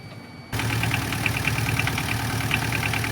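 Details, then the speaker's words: Tata Ace diesel at idle, alternator (dynamo) with vacuum pump refitted: light uneven ticking rattle about three times a second from the pump; play in the alternator vacuum pump. "இப்ப sound வரும் பாருங்க. வருதுங்களா இந்த sound பாத்தீங்கன்னா இந்த பம்ப்ல இருந்து"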